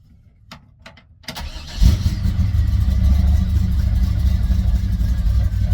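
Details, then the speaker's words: 1964 Chevrolet Impala SS small-block V8, carbureted, in neutral, after a tune-up with new spark plugs and wires for hesitation; a couple of clicks, fires instantly, deep even idle with a firm rev; normal start and rev. "Oh, it's snappy. It's snappy. Oh, yeah. As soon as I hit it."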